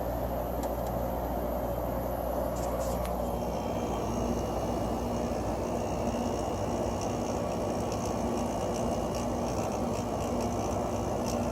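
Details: Emerson Quiet Kool 6,300 BTU window air conditioner: compressor failed to start at first, ran on fan and warmed with a heater, then started; even steady hum, low drone, soft fan whoosh, no rattles; normal running.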